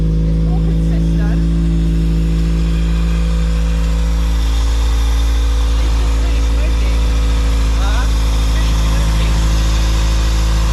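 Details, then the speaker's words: Toyota MR2 after driving through deep floodwater that entered the intake, running after spark plugs were cleaned, just below operating temperature: deep steady idle with even beat, no stumble or misfire; engine running cleanly. "So now we've cleaned all the spark plugs, Chris is going to start the car again, and hopefully it's running a little bit healthier."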